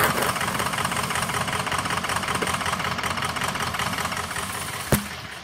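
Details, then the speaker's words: 2003 Ford F350 6.0 diesel: rough lumpy idle, uneven stumble, barely staying running with odd bank (cylinders 1, 3, 5, 7) dead; combustion gas in fuel from leaking injector sealing washers. "and here's your cylinder contribution we got the whole odd side out remember now when fums do this they usually take out two per side"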